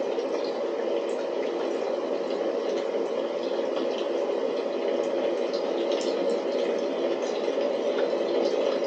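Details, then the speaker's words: DIY waste oil burner after adjustments, flame deflected by a brake disc and heating up: steady rushing roar with light crackling, no surging or popping, firing evenly; normal burner operation. "It's sounding good. It sounds like it's blowing it."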